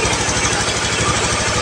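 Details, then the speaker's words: Honda Beat FI scooter that stumbled and stalled, fuel pump pressure checked, kick-started because of weak battery: quick even putter with no misses, engine now responsive and idling smoothly, fuel pump fine. "Nah, sekarang responsif. Suaranya ini ya, mesin halus, full pump aman."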